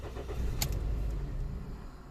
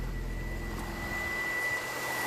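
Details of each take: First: Toyota Yaris 1.3 with code P1310 after immobilizer repair: brief crank, catches with a short rumble, then dies within about two seconds; starts then stalls, caused by a cut igniter wire at the ECU plug. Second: 2001 Toyota Yaris 1.3 petrol that started then stalled (P1310), after repairing tampered ECU plug wiring: engine catches after a short crank, swells up, then settles to a smooth steady idle without stalling.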